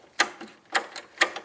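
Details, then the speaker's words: Kubota riding lawnmower sat unused for years and stopped working suddenly, weak battery: sharp dry solenoid clicks about twice a second with no cranking, so the starter doesn't turn. Cause suspected, not confirmed. "which sounds like it's functioning, but it's not perfect."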